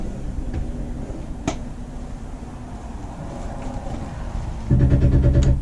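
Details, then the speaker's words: 2011 Jayco Jay Flight G2 31RKS travel trailer slide-out extending: steady motor drone, then a burst of rapid regular clicks about three per second at full extension, normal, meaning the room is all the way out and sealed. "And right when it gets to full extent, you'll hear like a clicking sound. That means it's all the way."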